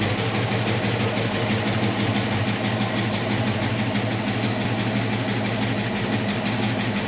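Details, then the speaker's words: 1966 Mustang coupe with factory V8 (289/302) and 4-speed, idling after the driver-side exhaust manifold gaskets were replaced: a light, uneven ticking puff over the rumble. Owner still suspects a leak where the headers meet the exhaust (donut gasket); unconfirmed. "i still think i'm hearing something and i suspect it might be down at the bottom where the headers meet up with the rest of the exhaust"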